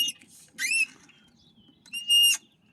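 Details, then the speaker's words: DIY electric go-kart of EMT conduit with Maker Pipe connectors and hoverboard motors: two sharp high chirping squeaks as the frame pivots, a dry plastic bearing rubbing the conduit; nylon bushings or white lithium grease considered as the fix. "if this goes through nylon bushings and I do have some nylon bushings that I could use there the size of this uh conduit um it would be a lot um you won't hear that squeaking"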